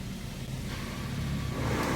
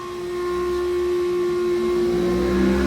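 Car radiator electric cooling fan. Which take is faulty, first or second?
second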